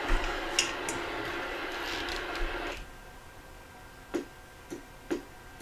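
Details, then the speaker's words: RCI 2995DX CB radio on dummy load in FM, no transmit after RF from another transmitter entered the antenna jack; static hiss, keying the mic does nothing, then relay clicks as the transmit switching transistor's collector-emitter is shorted, suggesting a faulty transmit switching transistor stage. "so you can probably hear some static right there and of course press the microphone and it doesn't do anything"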